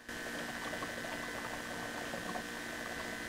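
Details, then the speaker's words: Mazda BT-50 diesel after fuel filter replacement, recorded near the tank during priming: a steady pump hum with a thin whine and soft bubbling as air works through the lines, like a spa bath. This pump runs continuously, and priming is normal. "sounds a bit like a spa bath. Some fuel pumps don't continually run like this one."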